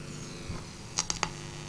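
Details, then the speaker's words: Homemade amplifier with a replacement transformer and weaker filter capacitors: switch clicks, then a low steady mains buzz returns as the room lights come on; buzz stops with lights off, caused by lighting interference. "now as you can probably hear it's buzzing again I know what the cause of the buzz is if I turn the lights out as you can hear the buzzing has completely stopped when I turn the lights on"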